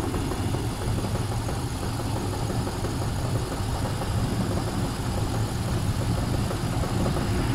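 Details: Range Rover P38 4.6 V8 with power loss, misfire and oil turning charcoal within months: deep steady idle with a dull regular low knock; owner suspects big end bearings or piston rings, unconfirmed.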